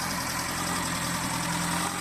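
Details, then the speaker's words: JDM car engine after bottom-end rebuild for knocking and correcting wrongly installed timing: steady even idle, smooth hum, no knocks or misses. "Но в итоге завел все четко ГРМ неправильно установили сейчас установились ползака завелась все работает"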